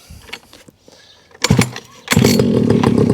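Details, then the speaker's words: Rebo ATV quad bike just restricted to tame its power for a child: engine catches with a sharp burst, dips, then runs loud and uneven, never settling to a steady idle. Owner says it's not idling, possibly his own doing; rough idle. "that's not idle uh it might have been me just just uh not running on my carpet"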